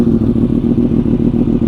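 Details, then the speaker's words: 2015 Yamaha R1M after an even compression test, new plugs, a cleaned air filter and fresh fuel: an even, quick, steady four-cylinder idle with no smoke and no stalling. Normal idle. "sounds more like it. No smoke pouring out of the exhaust. Doesn't stall. Yeah, so I think it sounds good."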